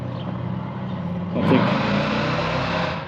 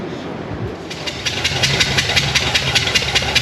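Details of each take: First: 1978 Chevy C10 big-block with a rebuilt, long-stored carburetor, second throttle hit: idles, revs up sharply and smoothly with no stumble, settles evenly; carb responding cleanly, owners still plan fresh plugs and leaner jets. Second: 1978 Chevy C10 big-block drag truck with freshly built carburetor, one spark plug left out: sharp rhythmic puffing hiss, a few chuffs a second, over a rough idle as the cylinder blows through the open plug hole; dead miss.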